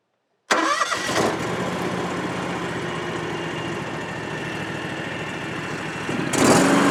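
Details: Used 2018 John Deere X739 lawn tractor, started right after an oil change filled to the high mark: a short crank, catches at once and settles into a steady, even idle with a brief rev near the end. It runs healthy.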